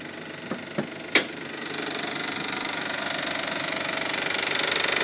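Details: 2002 Isuzu, timing belt and water pump replaced in 2009: a few sharp clicks then quick uneven light ticking, two or three per second, over a hissy idle; absent at first start, begins once idle drops to 1500 rpm; cause unknown.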